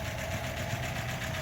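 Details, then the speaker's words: 1936 Buick Century 320ci straight-eight idling after exhaust manifold leak repair and a drive around the block: quiet, even idle with a light, fast regular valve tick and no puffing or hissing; exhaust leaks fixed. "Exhaust leaks are fixed. At least for now, until I do the rest of the exhaust. Just took it for a spin around the block. Ran great. Sounded great."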